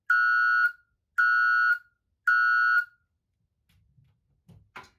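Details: Ademco 702 electronic siren at full power: three clean, loud, steady high tones, each about half a second, roughly a second apart; healthy, unlike its weak sound earlier on a nine-volt battery that made the owner think it was broken.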